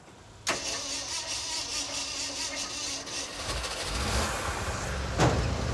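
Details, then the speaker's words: Ford Ranger V8 with fuel pump running: starter churns steadily about four beats a second for several seconds, slowly catches and idles; hard starting, needed starting fluid. "Ah, I heard one thing fire. We need starting fluid."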